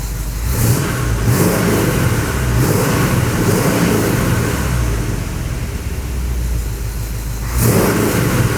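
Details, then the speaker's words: 1986 Chevrolet C10, first runs of its new V8 with the distributor locked down and vacuum advance just connected: the engine is revved in repeated surges with a raspy, puffing edge that grows with each rev. Exhaust leaks. "Perfect. I do have exhaust leaks. That's the bad sound, the exhaust."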